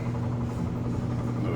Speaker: See, it was spinning. Timer works.